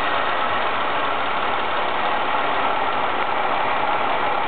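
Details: Ford ST220 engine idling after the TSB 24/2009 camshaft bearing cap repair: a smooth, even idle with a steady hum, and the earlier bearing cap rattle is gone.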